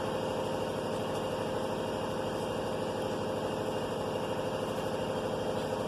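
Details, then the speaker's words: 2019 Chevrolet Silverado crew cab, 4.2-liter gasoline V6, spark confirmed, fuel line disconnected: starter spins the engine in a steady rhythm, about two beats a second, but it never fires, no fuel from a dead pump. "I try to crank Lets check fuel coming out from the fuel pipe Nothing fuel coming out Its mean The fuel pump has problem"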